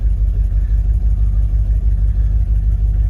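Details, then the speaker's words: 1977 Ford Ranger truck parked 25 years, cleaned carb, fresh fuel, first start warming up: low, steady idle with even smooth beat, no knocks or misses; healthy. "she sounds pretty decent i'm gonna let it warm up for a bit clear the old fuel out of the line"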